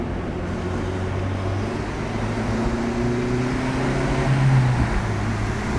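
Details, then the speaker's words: Acura RSX on a test drive after replacing the front axle and intermediate shaft: even engine and road drone pulling away from a stop, with no clicking from the axle; the driveshaft sounds healthy. "seems like we're fine yeah i'm not hearing that noise so far obviously from this stop sometimes it makes the most stop hey no noise that annoying noise is gone for good for now"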